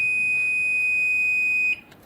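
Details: Microwave after repair: single steady high beep holds nearly two seconds then cuts off cleanly; the heating cycle has finished, water is hot, oven working normally.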